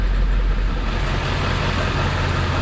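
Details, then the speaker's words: 1999 Ford F450 diesel service truck with service engine and battery lights on, brittle broken valve cover harness found; low lumpy, choppy idle, running bad on a few cylinders, injector issue suspected, not confirmed. "it's running you can hear is running bad on a few cylinders definitely has a choppy ila sloping"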